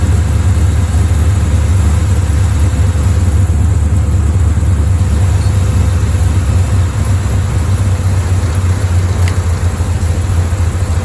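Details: Bel Air V8 rough idle during timing work, aiming for about 1000 rpm idle and 12–15° advance; low, lumpy, uneven beat close to stalling, won't stay running long enough to adjust; later set 12° at 900 rpm.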